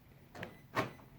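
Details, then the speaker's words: Right rear door lock actuator on a 2001–2006 Lexus LS430, after repair by gluing the actuator's clamshell to stop it vibrating: two short, quiet clicks with no chatter, buzz or rattle; the previous prominent chatter is gone. "So if I lock it, there we go. We're good to go. It was the rear passenger, and as you'll hear, just subtle click."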